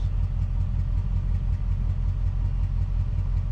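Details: Warm 5.3L LS-swap V8 idling after a crank relearn, done to cure long-chased random misfires, then restarted: deep, even burble with a steady rhythm and no stumbles. Timing still reportedly a bit odd. Normal idle, no misfire.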